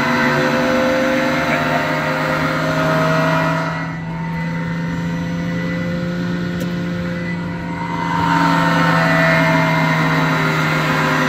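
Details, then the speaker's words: About 14-month-old AAON unit, 1 HP 460V three-phase Baldor fan motor on a VFD, before repair: constant drone with a rough hum pulsing about four times a second; worn motor bearings, later replaced. "what is up I think this motor might be a little noisy let's turn on this fan loader let's check out how choice this sounds"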